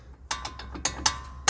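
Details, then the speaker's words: Opel Astra K left brake caliper rocked by hand with wheel off: sharp metallic clacks, about five in under two seconds; caliper rattles loose because its retaining bracket/clamp is missing, noise earlier faded when braking. "there is definitely a bracket missing. I have no idea why it's missing, there's the clamp that actually holds the brake caliper taut on that end inward so it doesn't rattle."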